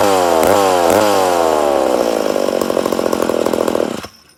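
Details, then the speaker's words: Rebuilt McCulloch Super Pro 80 chainsaw two-stroke, first start: screams high, then pitch sags and wavers unevenly before cutting out; owner suspects an air leak making it run lean. "oh a sounds like we got air leak definitely sounds like she got an air leak but she does sound good yeah I'd say we have an air leak somewhere"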